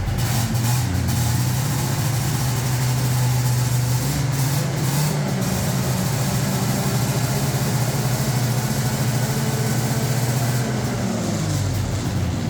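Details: 1981 Yamaha SRV 540 two-stroke snowmobile barn find, just fired up after repairs: a steady, even low burble at idle with no misses, surging or knocking. Normal idle.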